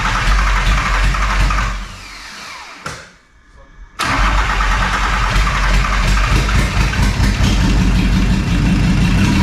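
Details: VW T4 Caravelle 2.4D AAB diesel, first start after a complete overhaul, with only about 1 m of exhaust fitted. It churns on the starter, catches, drops away and grinds on without a clean idle because of lots of air in the fuel line.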